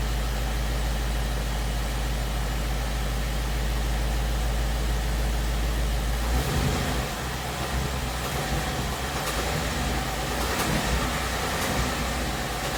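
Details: 2017 Ford Mustang GT 5.0 V8 at about 10,476 miles: low V8 rumble with a faint, loose ticking that shifts as revs change near idle, in the 1000–1500 rpm range. It began around 7.5k miles. Ford calls it normal and the owner disputes this; cause unclear.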